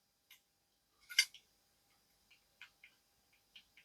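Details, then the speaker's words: Worn crankshaft from a Vespa LX 50cc engine, turned by hand: light, uneven metallic clicks and rattling from play in worn bearings, unlike the new crankshaft, which has no rattle. "and you can hear it too. You can also clearly hear the play and the rattling; we don't have that with the new one."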